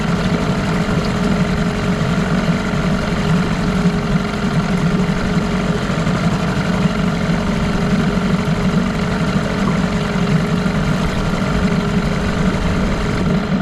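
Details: 1989 Evinrude Yachtwin 6 hp two-stroke outboard, bought as parts motor said to have bad crank and smoke under throttle: steady idle with dull uneven knock following engine speed; crankshaft knock.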